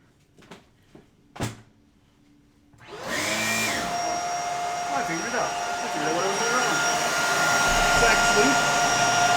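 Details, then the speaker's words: Bissell 3374 Pet Hair Eraser Turbo Lift-Off upright vacuum: after a few handling knocks the motor spins up to a steady high whine with a coarse, uneven edge. It sounds sickly but works; cause unknown. "Doesn't sound great. Definitely sounds like it's sickly in there, but it spins."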